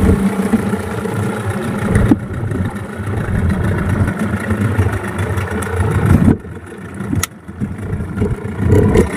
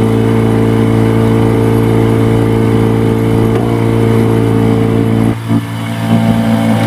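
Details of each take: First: Yamaha 15 hp two-stroke outboard on a test run after repair of stuck rings and a narrowed exhaust: revs up and settles repeatedly, picking up cleanly with no misfire. Normal running. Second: Yamaha 15 hp two-stroke outboard, hard starting and lacking power: loud steady buzz that stumbles and briefly drops out before catching again, sputtering caused by stuck piston rings and a dirty exhaust.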